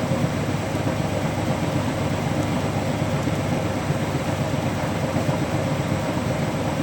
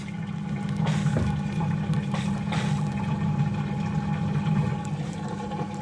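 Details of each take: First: Hotpoint Active Care washing machine, final spin: fast spin with an uneven, lumpy thumping about every second over the motor rush, load off balance. Unbalanced spin. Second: Hotpoint Active Care washing machine during the final drain and spin: a steady low hum with water rushing through, no rattles or grinding. The drain pump is running normally.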